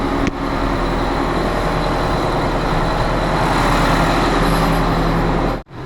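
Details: Oshkosh M1070 HET 8x8 military truck diesel idling while building air pressure, with transmission fluid being checked: steady, even idle with a low rumble and no knocks or misses; normal, healthy diesel idle.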